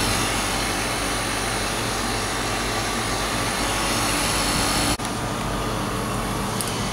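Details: Static refrigerated trailer condensing unit that was not cooling (compressor MCB tripped), after the condenser was cleaned, the out-of-spec run capacitor replaced and the fan motor oiled: a steady, even fan rush and compressor hum with no rattles or squeals; running normally.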